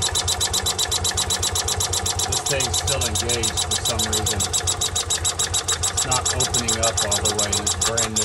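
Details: Kawasaki FE350 engine after a rebuild, at idle: a sharp, high-pitched chirp repeats three or four times a second over the idle; air is felt escaping right down near the head.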